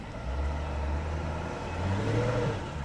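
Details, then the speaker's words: Auction car put into drive: the engine revs up freely but the car doesn't move, and a transmission warning appears. Reverse eventually engages but forward won't. The automatic transmission is not engaging. "The engine just revved up like crazy. Does it go into gear?"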